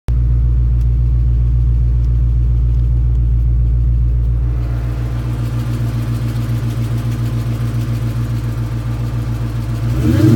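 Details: 1999 Mustang GT, built 4.6 4V V8 with new McLeod RXT twin-disc clutch, aluminum flywheel, T-56 Magnum and Kooks long tubes, under 60 miles: lumpy idle with fast light rattling click; owner wonders if clutch or worse.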